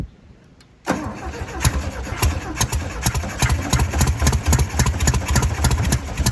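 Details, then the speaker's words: 1968 VW Beetle air-cooled engine on its first start after sitting about 35 years: it catches after cranking, then runs rough and uneven with irregular firing and struggles to hold idle. A carburetor gummed up from years of sitting is suspected. "We did have it running though. So that counts. This carburetor's probably all gummed up inside. It's all them years of it sitting."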